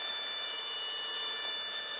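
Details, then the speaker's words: Light aircraft slowed to about 40–50 knots with full flaps and near full power in slow flight: continuous high-pitched stall warning horn as the wing nears the critical angle of attack; plane sluggish, almost going backwards. "wow hear that style warning horn coming yeah look outside we're almost going backwards"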